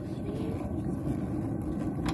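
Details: Dometic RV gas water heater burner with a steady, even low roar and no popping or sputtering: blue flame after the air mixer was adjusted to cure the sputtering flame.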